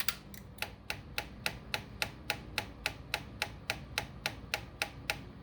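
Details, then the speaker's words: Honda Ruckus that died and wouldn't restart, with the key cycled on: sharp, even clicking at about 3.5 per second from the fuel pump, but the clear fuel line fills very slowly; weak fuel pump. "That clicking you hear is the fuel pump, but it just seems like it's not really pumping much."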